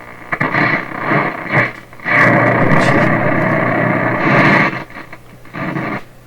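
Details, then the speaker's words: 1930s Canadian General Electric K60 tube radio on reduced voltage: loud hissing and crackling bursts as the knob turns, from a dirty volume control. The slight hum is likely from the cardboard box capacitors. "Okay, so I got to deal with a dirty volume control."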